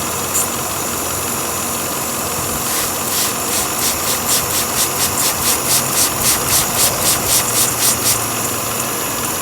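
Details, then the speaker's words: 2006 Volvo XC90 idling petrol engine with P0171/P0174 lean codes: hiss, with sprayed water sucked in with quick slurping spurts, pinpointing a vacuum leak at the PCV valve's diaphragm; upper intake plenum must come off to replace it. "you hear the water going in there so the intake the upper plenum is going to have to come off and we're going to have to replace that part"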